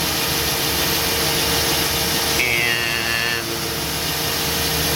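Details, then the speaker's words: 1997 Chevy Silverado pickup with fuel-starvation symptoms, idling, checked under the truck during fuel filter work: a thin high-pitched fuel pump whine rises over the idle, then drops away. The owner suspects the pump is working too hard and needs replacing. "and I don't know if you can hear that high pitch whining you here well that's the fuel"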